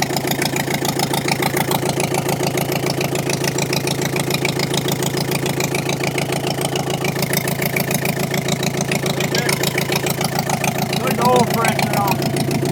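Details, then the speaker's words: Komatsu dozer diesel engine after repair work including valve work, running with no coolant circulation: even beat of about three and a half pulses per second holds steady; runs smoothly and healthy. "all right Jacob we got that done that really sounds good"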